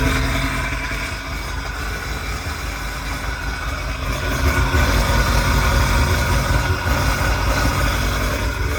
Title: 2002 Sea Doo Sportster LE (951cc) first start after rebuild